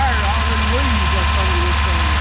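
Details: 1978 Ford Courier truck that sat buried outdoors for about 29 years, cold day (about 25°F), restarted after stalling, suspected rusted-out oil pan: steady, even low idle with no misses or knocks, running smoothly again, smoking a little.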